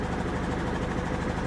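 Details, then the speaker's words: 1993 Grand Am, 70K miles, idling roughly with an uneven, stumbling beat and check engine light on; misfire, owner suspected weak fuel pump or bad coil pack, exhaust smells of rotten fuel, blamed on bad gas. "you can hear it's definitely misfiring huh yeah look at that exhaust man"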